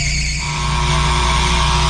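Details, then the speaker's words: Fresh air intake/exhaust fan motor starter in a commercial kitchen: loud steady mains hum with a harsh rattling buzz as the contactor plunger shakes; bad motor starter needs replacing, left running for now. "so the motor starter I was buzzing like crazy and everything sounds so bad but they want to leave it as is right now"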